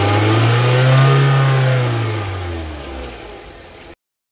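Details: 2004 Saab 9-3 petrol engine revs up smoothly and settles evenly with no stumble or shake after replacing spark plugs and coils, fixing misfire, rough idle and shaking with code P1312.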